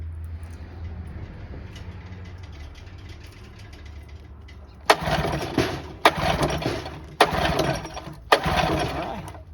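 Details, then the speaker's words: 1984 Johnson 25 HP outboard after running warm, not overheating per owner: four short cranking bursts about a second apart, none catching; heats up then won't restart, owner suspects fuel bowl, spark or coil pack, unconfirmed. "Maybe the problem's already replicated. Heats up and then won't restart."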